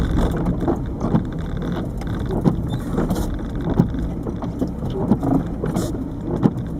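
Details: 1998 Peugeot 306 turbo diesel, over 160,000 miles, driving: dull thumps roughly every second and a bit when pulling away, worst when the clutch bites in 1st, also on throttle in 2nd or 3rd; owner suspects the lower engine mount, unconfirmed.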